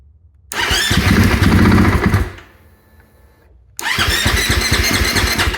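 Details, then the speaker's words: Husqvarna FE 501s after installing Taco Moto fuel pump assembly and IMS 4.5gal dry-break tank: two bursts of fast rhythmic cranking, about three to four beats a second, never catches; no leaks, no spark suspected, cause unconfirmed; crank no start. "H what is that what is that noise I don't see any leaks why am I not getting spark what's going on"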